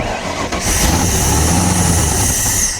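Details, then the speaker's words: 1993 Nautique boat engine, not run in a couple of weeks, cranked with starting fluid: long cranking whir with hissing and no steady catch; only one injector sprays, the other three give weak pulses on stethoscope; hard starting, injectors not firing. "all the injectors are working, so whenever I try to crank, you can see only one of the injectors are shooting fuel, which is not a great sign. I put the stethoscope on the 3 that aren't working, and I'm not really getting a strong pulse or click."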